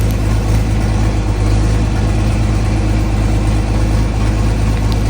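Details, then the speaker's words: Restored John Deere 4020 tractor diesel, at start-up idle: low chugging idle with uneven beat and occasional missed firing pulse; misfire attributed to bad injectors. "Sounds really good. I really like it. If you can kind of hear it misfiring, there was bad injectors."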